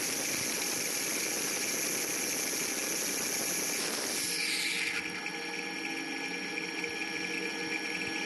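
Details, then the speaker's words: Bearing at Cristal Union, heard through ultrasound-assisted lubrication: a loud, even rushing hiss drops and smooths out after a grease-gun stroke, showing the bearing was starved of grease. "ici en fin de compte on avait effectivement ma besoin il y avait un manque de graisse au niveau du roman"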